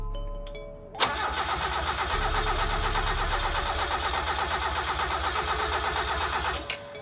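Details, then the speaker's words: Mazda Miata that overheated six years ago, during a compression test before a head gasket replacement: steady, even cranking at about three beats a second, no weak strokes; gauge reads 150–155 psi, good compression. "what's it say 150 that's really good i want to do it one more time just to make sure"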